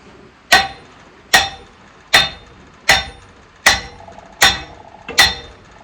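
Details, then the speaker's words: Sledge blows about every three-quarters of a second on the arbor nut of a 1940s No. 3 sawmill, each leaving a clear, bright ring. The pitch change shows the arbor nut is properly tight. "Hear that one right there? Bink, bink, bink. The pitch changes, and that's how I know it's tight."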